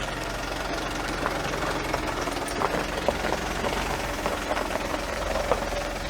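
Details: Audi A8 D3 engine, previously rebuilt after a cylinder head failure with bent valves and broken tensioners: hard diesel-like clatter with sharp metallic ticks over a busy idle, timing chain rattle attributed to a seized hydraulic tensioner.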